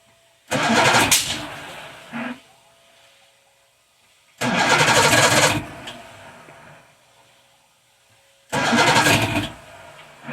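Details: Old Evinrude 150 outboard, believed 1978, cold start out of water, choke applied, no throttle: three cranking bursts about four seconds apart catch briefly then die back to a murmur; hard cold starting, cause unconfirmed.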